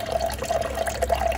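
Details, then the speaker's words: SimPure Y7 countertop reverse osmosis water filter, powered from a power pack, dispensing after a start-up flush at the push of a button: steady trickle of water filling a glass over a faint even pump hum; normal dispensing. "All you have to do, push the button and your clean water comes out."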